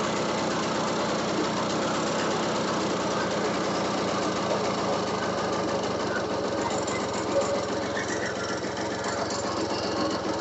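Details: RC two-stroke engine, hard starting needing fuel primed: fast uneven knocking rattle over a wandering idle; owner unsure if rod or piston, suspects rod mixed with worn rings; piston slap.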